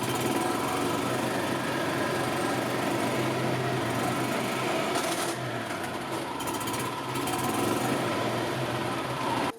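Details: 2000 Yamaha G16 gas golf cart, just started after sitting since 2013 on old fuel of unknown age: small single-cylinder engine chugs at a fast, steady clip with no misses or knocks; normal running.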